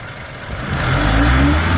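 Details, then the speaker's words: 2006 Hyundai Getz, 78,000 km, recently changed engine oil and coolant, no oil leaks or blow-by gas: engine picks up cleanly from idle into smooth rising rev, no knocks, rattles or hesitation; healthy. "Engine sound వినొచ్చు మీరు ఎలా వస్తుంది ఏందనేది చాలా smooth గా ఉంది engine"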